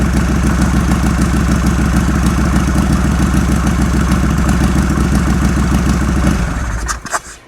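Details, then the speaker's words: Harley Sportster with new Hammer Performance 1275 kit, choke out, air cleaner removed: lumpy uneven V-twin idle about six seconds, sags and dies; bad ignition module connection cutting spark. "Well, she died real quick before I could really blip the throttle, but I did blip it right as it died."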